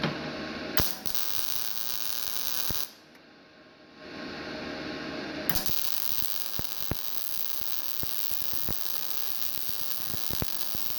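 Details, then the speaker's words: GZ Guozhi MIG 200P welder, starting at wire speed 105 and 16.4 V: a crackling, uneven arc with sharp irregular pops. The voltage is then turned down a little to 16 V, and the heat still feels too high. "Let me go ahead and turn the heat down a little bit. Now I'm at 105 at 16 volts. I still feel like the heat's a little bit too high."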